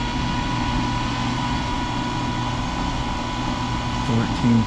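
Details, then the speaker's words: Dryer exhaust after cleaning a crawl-space dryer vent in Charlotte, NC that hadn't been cleaned in over 10 years. A strong, steady rush of air with an even fan hum and no rattle; the difference is audible immediately. Normal airflow restored. "Oh yeah, dude. You can hear the difference. Literally already hear it."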